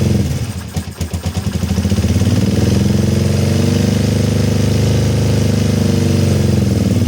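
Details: Kawasaki ER-5 twin, stood over two years, after carburetor rebuild and fuel-inlet O-ring replacement: stumbles and pulses unevenly on first firing, then a lumpy, unsteady idle; running rough, cause not confirmed.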